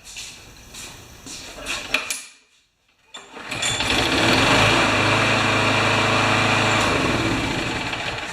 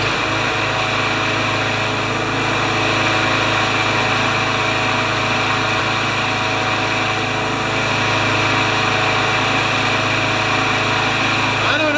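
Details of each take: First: Craftsman Briggs mower brought in for hard starting and not priming, with a tune-up and primer repair a year earlier: on another try after primer and carburetor tube checks it fires and settles into a smooth, steady run, healthy. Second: 21-year-old Craftsman mower with Briggs & Stratton Quantum engine, hard starting, after tightening the carburettor: uneven running that stumbles now and then; weak ignition coil suspected of giving poor spark.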